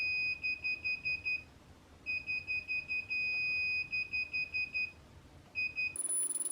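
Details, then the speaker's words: Sur-Ron Light Bee MX with KO Factory Spec controller during throttle calibration: long strings of rapid high-pitched beeps in bursts instead of the expected double beep; controller fault beeping, calibration not working. "So in the video, the controller was only going beep beep. Not beep beep beep beep beep."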